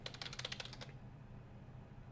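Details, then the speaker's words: Quiet non-mechanical keyboard typed on hard: soft muffled key taps in a quick burst, no click like a mechanical keyboard; normal quiet typing. "I'm hitting it hard. I'm hitting it hard right now. But no, it's quiet, you know, and it's not like when you press it, you get the click when it comes to a mechanical keyboard."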